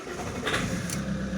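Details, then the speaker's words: Common-rail diesel cranking with the camshaft sensor signal missing: uneven cranking broken by sharp bursts as the ECU deliberately fires injection spikes to locate piston position, then multi-injection. Uneven cranking from deliberate injection pulses. "okay can you hear the injections the spikes on the injection that is on purpose so the ecu knows where the pistons are and in that way know how to do the injection in this case the multi injection very fancy"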